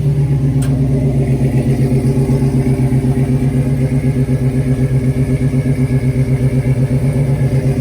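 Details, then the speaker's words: 1970 Dodge Challenger with swapped 5.7 Gen 3 Hemi, Holley Terminator X ECU, long tube headers and Flowmaster mufflers, first start: deep, even burbling V8 idle, about four pulses a second, no misses or knocks; idling on its own with good oil pressure. "Got good oil pressure. And it's actually idling. It's idling on its own. That's awesome."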